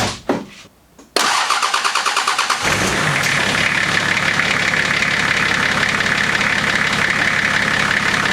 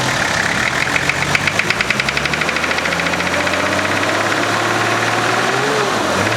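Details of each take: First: Nissan GQ Patrol diesel started after battery charging: cranks briefly, fires and settles into a steady, even idle with smooth clatter; the earlier engine or injector knock is gone. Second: Nissan GQ Patrol diesel at idle: hard, rapid, evenly spaced clatter, loudest early then easing, a classic injector knock.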